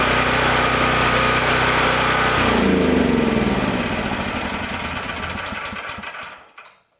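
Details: Powerstroke 6000 W generator with a 14 hp Honda-clone engine, after rotor repair and a governor adjustment made by bending the governor tab. A steady, even hum with a constant whine holds a couple of seconds, then winds smoothly down to a stop. Healthy.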